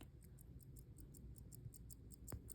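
Faint, crisp, evenly spaced ticks, roughly five or six a second, over quiet room hiss; the movement is running normally.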